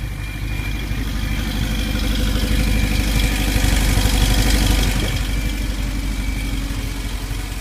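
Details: 1991 VW Vanagon Syncro 2.1 boxer cold start before engine replacement, engine about 67 degrees, heads 63: low, somewhat uneven chuffing idle of about three beats per second; nothing specific stands out.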